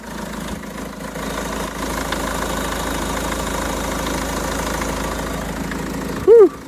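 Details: Renault Trafic diesel work van at nearly 240,000 miles, after a new alternator was fitted to cure a whirring noise: it starts and settles to a steady, even diesel idle with no whirring from the front of the engine; it sounds healthy.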